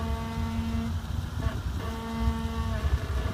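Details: 2014 Jeep Wrangler Rubicon Unlimited, 4000 miles, bought new four months ago, creeping on incline: low tuneful brake groan cutting in and out; dealer twice said normal, cause not pinned down.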